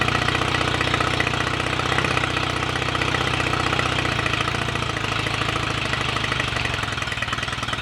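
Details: Royal Enfield Rickman Interceptor 750cc parallel twin, first start after owner engine rebuild and gearbox rebuild, timing not yet strobe-checked: slightly rough but even steady beat, no knocks or rattles; sounds good mechanically, started willingly.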